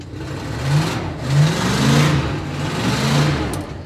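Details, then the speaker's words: 1966 Ford Country Sedan station wagon big-block V8, cold start: catches and runs with uneven surging revs; owner calls it a little cold-blooded, a hard cold start. "All right, cold start. Starts right up. So, oh, hang on, one more time. She's a little cold-blooded."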